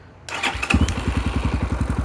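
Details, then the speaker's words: 2022 X-Pro Templar 250cc single with Nibbi PE30 carburetor after throttle needle adjustment, about 65-67°F: short starter whir, catches at once, settles to quick steady thumping idle around 1000 rpm; clean healthy start. "okay so I did start the bike and it started right up um I adjusted the uh the throttle needle a little bit while I had it accelerated okay just a little bit"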